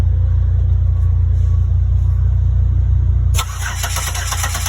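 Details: 2008 Buick Lucerne 3.8 cranking, steady starter churning about four pulses a second, never catches; scanner shows zero rpm, crank signals scoped at module, good; faulty ignition module, crank no start.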